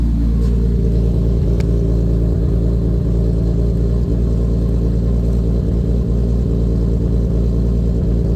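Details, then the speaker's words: Lexus IS300 with swapped 2JZ-GTE turbo six, Fueltech FT550 base startup tune, first start: deep even note with clean blips rising and settling smoothly, no knocks or misses, ECU shows no alerts; healthy free revs. "sounds pretty good if you ask me and everything is dialed in we don't have any alerts or any [Music] statuses"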